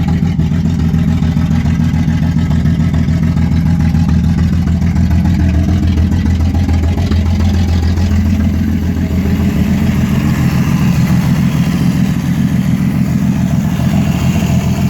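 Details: 1989 Ford Falcon EA, port-injected, column shift, with distributor and coil pack: runs rough and misfires only while the key holds the starter cranking, and dies when the key is released. Owner suspects the coil pack, unconfirmed.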